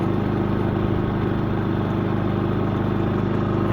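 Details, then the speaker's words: Predator 3500 generator after maintenance, started on choke at high elevation where it runs rich, battery 12.4 V: an even, steady single-cylinder putter with no misses or surging. Much better than before. Normal running. "sounds really good way better than before"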